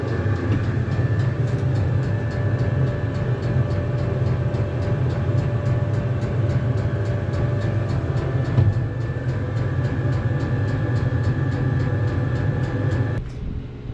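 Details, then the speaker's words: Cheap Chinese diesel heater in a 2006 Nissan Frontier, before sound deadening, glow plug off: steady loud full-speed fan roar with pump ticking about twice a second, about 74 dB; noise echoes in tin box. "fan speeding way up that's like a jet engine taken off it's noisy actually putting up some hot air now [Music] right now around 74 decibels back to camp pretty loud"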